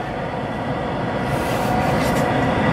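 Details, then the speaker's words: 1968 MGC heater blower motor after teardown and reassembly, installed and running: steady whoosh of airflow rising slightly and holding even, with no scraping or rubbing; normal blower operation. "Okay, with the fan installed and mounted and turned on, you can hear there's no scraping or rubbing, so that's good."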